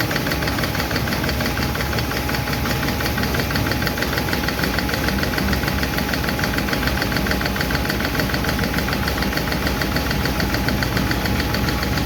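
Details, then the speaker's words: 1951 Chevy truck engine at idle after starting; light, fast valve-lifter ticking rides over the steady hum from number 4 intake and number 2 exhaust, which are still out of adjustment while number 2 intake seems okay; owner will re-tweak those two. "Again, still number 4 intake. Number 2 seems to be okay. Number 2 exhaust is still a little clickety clack."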